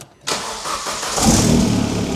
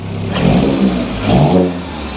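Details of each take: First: Astra VXR, cold second start after fitting a 3-inch turbo-back exhaust with a fiddly V-band clamp at the turbo and downpipe, run without the resonator. Loud idle with a raspy puffing chuff; exhaust blowing at the downpipe joint. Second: Astra VXR, cold start after fitting a 3-inch turbo-back exhaust in place of a 2.5-inch Miltek cat-back, run without the resonator. Two throttle blips with a deep, loud, clean roar, no puffing or ticking; definitely louder.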